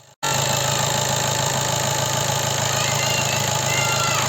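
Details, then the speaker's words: 2014 Seat Leon 2.0 TDI diesel with an engine knocking noise, heard at idle after an oil change and 10 minutes of running. A faint tapping still rides over the idle, quieter than before but not gone; knock source undetermined. "هنا اسمع مع صوت المحرك كيفش تبدل"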